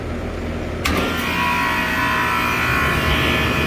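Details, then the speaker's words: 30-year-old gas station walk-in cooler system with an extremely dirty condenser coil: compressor kicks in abruptly and reaches full speed quickly, settling into a steady even hum; a healthy startup credited to its starting components. "anyways here's the startup you'll hear it it starts rapidly quickly and it gets up to full speed real quick"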